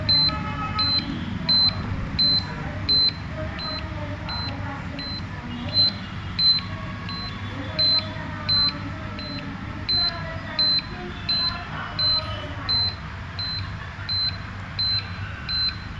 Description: In this video, you can listen beeping sound continuously after the exposer switch is ON. NO expose sound made.